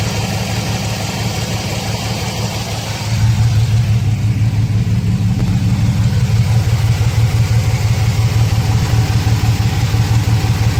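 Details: 2006 Chevrolet Silverado 4.3, codes P0305 and P0200, blinking check engine light: deep idle rumble lurching and pulsing unevenly, louder after a few seconds; cylinder 5 misfire, suspected failed injector, open harness or bad ECM signal.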